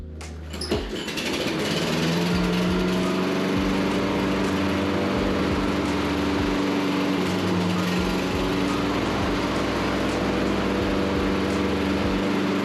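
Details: Toro mower with a Kohler single-cylinder engine, just after a carburetor rebuild and refit of the air filter, catches after a short crank. It settles into a steady, even beat of about four a second under light music; runs normally.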